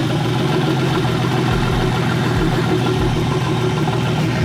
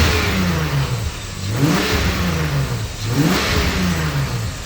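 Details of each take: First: BMW E30 with turbocharged S52 engine, open downpipes with no exhaust, old gas mixed with E85, start after a suspected bad ECU-to-harness connection; loud open-pipe idle that stumbles unevenly with dips every second or so: running rough. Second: BMW E30 with turbocharged S52 engine and relocated wastegate, freshly finished: three clean throttle blips climb crisply and drop back to a steady idle without stumbling; engine revs freely and healthily.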